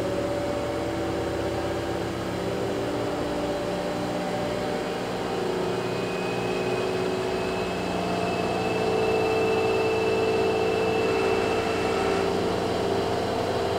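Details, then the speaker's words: Kenmore (LG) 796.41392.511 front-load washer, 5 years old, running great, in a test cycle: smooth quiet inverter-motor drum spin at about 1150 RPM, steady soft hum and rising whir, no rumble or knocking; normal high-speed spin. "so now it's spinning at about 12200 RPM or 1150 to be exact the inverter motor is super quiet on this thing I can barely hear it from the next room"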